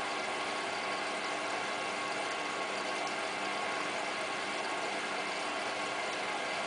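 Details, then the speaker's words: Hotpoint Ultima WT960 front-loader on a 60° cottons test wash: steady, even whirring hiss with a faint ratcheting texture as the motor turns the drum normally. "you can now hear the motor bearings doing washy"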